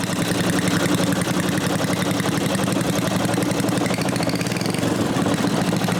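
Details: Completed new-old-stock Briggs & Stratton 5HP dual-shaft aluminum-bore engine rebuild with new kill switch fitted; steady, quick single-cylinder chatter at fixed speed with no misses, knocks or surging, no smoke; healthy.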